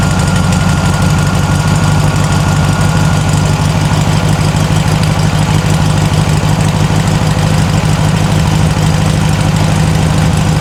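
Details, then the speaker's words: Circa-1960 VW flat-four in a Ford Model T kit car, after carburetor replacement, cold and still on choke: loud, even low chugging idle with no knocks or misses, picking up RPM as it warms; normal. "As the engine's warming up, it's picking up RPM like it should."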